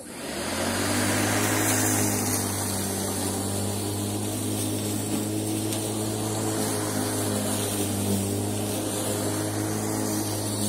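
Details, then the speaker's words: Bosch ARM3400 lawn mower after motor bearing replacement: steady, even motor hum with constant low tone and no grinding or rattle; runs smoothly and healthy. "Well, that worked out quite well. You know, the bearing, having the bearing replaced in Marmaris at the Bosch Centre cost a tenner."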